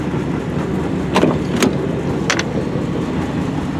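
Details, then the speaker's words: 1988 GMC 1500 two-wheel-drive automatic with an odometer reading 238,000 miles. A steady, even low rumble with a few handling clicks: it still idles smoothly, with no knock or miss. "and it's still running as you can hear and running pretty good"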